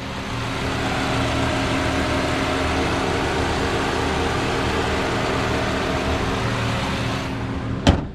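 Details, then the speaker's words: 2005 Subaru Forester L.L.Bean after timing belt repair and full reassembly: smooth even idle, no knocks or misses, no check engine lights, exhaust smoke cleared; engine healthy. "smooth as can be no check engine lights the smoke from the exhaust has cleared up"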